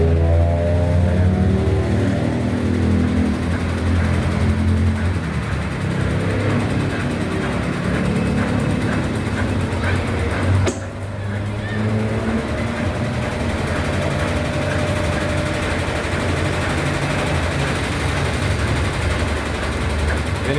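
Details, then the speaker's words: Brastemp BWH15 15 kg washing machine spinning empty: loud, rapid knocking about four a second, louder with laundry, from the pressure switch hose slapping the cabinet as the machine vibrates, not the bearing. "Então, essa essa mangueira aqui, ó, que tava fazendo todo esse barulho aí. Ela com a trepidação, ela tava batendo no gabinete e fazendo todo esse barulho."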